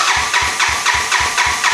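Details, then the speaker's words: 1986 Honda Fourtrax 200SX quad after top-end rebuild and new ignition coil, restart attempt after leaning out the carb needle: even cranking about four compressions a second, never catches; timing light reads nothing, no spark, CDI pulse generator suspected. "And it will not restart here. I mean, it turns over, but it's not restarting. And I'm not getting a reading on my timing light."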